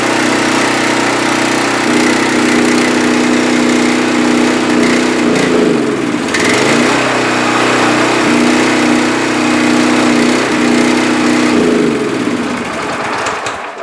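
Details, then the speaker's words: Pressure washer single-cylinder after fresh gas, air cleaner off, cold, choke on, throttle up, thin mystery oil in crank: steady, busy drone with a couple of brief dips; runs fine. "Well, I'd say it runs. Well, there we go. I'd say it's a winner."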